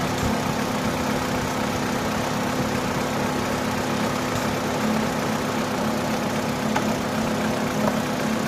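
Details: Opel/Vauxhall engine at idle: smooth, even idle with a steady low hum and no misses or knocks; it is running normally.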